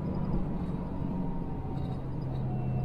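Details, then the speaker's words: Truck on a road in Alsace, lightly loaded, exhaust brake engaged after the retarder: steady, deep, muffled diesel drone with no popping or rattles, exhaust brake working normally. "Et voilà, ben tu te sers de l'échappement. Voilà, là maintenant je vais appuyer dessus, tu vas écouter le bruit."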